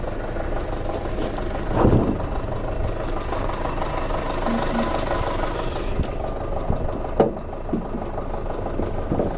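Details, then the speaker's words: 2006 Audi A4 2.0T, apparently after long sitting, codes P0300/P0303 (cylinder 3 misfire): rough idle with irregular sharp metal-on-metal knocks every few seconds, heard under the hood. Faulty fuel injector suspected; cause unknown. "That has like a distinct metal on metal sound."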